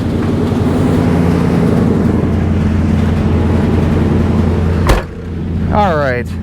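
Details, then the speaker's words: 1990 Chevy Caprice B-body V8, 62,393 miles, held at high revs during burnout test: loud, deep V8 pulling evenly under load with no misses or knocks before running out of gas; healthy engine revving. "62 393 miles we're out of gas oh but she sounds good"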